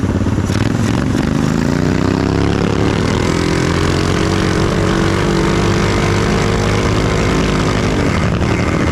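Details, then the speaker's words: Trail Master MB200 mini bike with Stage 3 223cc engine, metal frame bushings fitted, heavy rider test: revs climb and hold high while road speed lags, flaring drone under load; rider suspects the drive belt is slipping, needs a new belt. "that's getting close to my 224 power I think we're slipping belt now I think I don't think oh yeah we're slipping belt which is funny I have to do a new Bel on"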